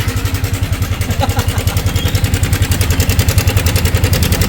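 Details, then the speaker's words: Yamaha Sniper 155 at 11,293 on the odometer with a failed cam chain tensioner, again. Loud, fast, even clacking at idle, about two or three per second, from the slack timing chain, before a manual tensioner is fitted. "So ang modo niya ay dumating siya dito ang ingay. By dalang lato-lato. 11,293. Naglato-lato na."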